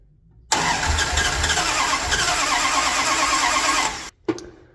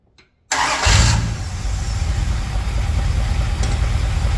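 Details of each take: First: 1978 Dodge D200, 100,000-mile big block 400 V8 with 727 automatic, after reseal, new timing set and ignition parts: short crank, then lumpy uneven catch that dies after seconds; plug wires fitted clockwise instead of counterclockwise, only cylinder 1 correct, so misfiring. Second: 1978 Dodge D200 big block 400 V8, 727 automatic, 100,000 miles, after reseal and correcting distributor firing order: quick crank and catch, then even idle running on all 8, though a weird little funky sound remains; tune still needs adjusting.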